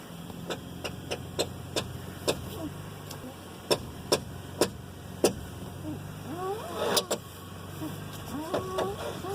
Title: Weird noise coming from front wheel